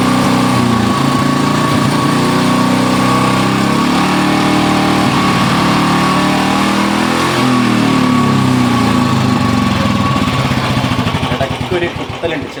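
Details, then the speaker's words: Motorcycle that came in misfiring; its carburettor was found full of rust. Single-cylinder putter with a slightly uneven beat and an occasional stumble as revs rise: a light miss under throttle before the carburettor cleaning. "ഒരു missing അതായത് throat കൊടുക്കുമ്പോൾ ചെറിയൊരു missing ഉണ്ട്"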